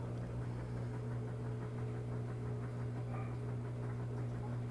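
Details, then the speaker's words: Clothes washer after a newly installed replacement drain pump, tub full of water: steady low hum with water rushing underneath and no grinding or rattle. The new pump is draining normally. "Pump is pumping out water. Music to my ears."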